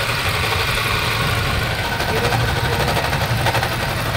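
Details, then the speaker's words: 2020 Toyota Innova 2.8 diesel (1GD) with a noisy engine, checked before confirming with a stethoscope: rough gritty hiss and rattle constantly over the diesel idle; worn alternator bearing suspected, which is common on these engines. "ngayon gagamitan natin ng Stethoscope para makasigurado tayo na alternator bearing nga Talagang may problema"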